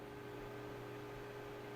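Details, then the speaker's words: Radeon HD 4000-series graphics card fan in a dusty PC, just booted: loud even whirring drone, steady tone, no pulsing; fan spinning far faster than it should, suspected dust and heat. "Well, actually, it's the graphics card one. Yeah, it is actually the graphics card fan. That's massive. Which shouldn't actually be going that fast. It should be quite quiet."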